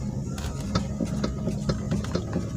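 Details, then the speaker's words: Toyota Alphard steering, after loosening and repositioning steering joint bolts: light, sharp clunks every quarter to half second over faint hum persist, so not the joint; EPS motor to be checked next. "bunyi masih ada letupan daya berarti bukan karena dari Yorkshire sudah sekarang sudah kita reposisi tadi"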